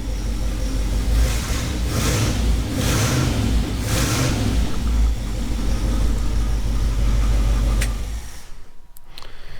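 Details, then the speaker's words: 1969 Ford F-350 with a 352 FE V8 swapped in after sitting a while, 12 V spliced to the coil past the resistor wire, old distributor cap: starts and settles into a steady, even rumble with clean throttle blips; a healthy, normal-running engine. "so yeah like i said earlier i already knew this was a good engine but it's nice to hear it running good after it's been sitting for a while"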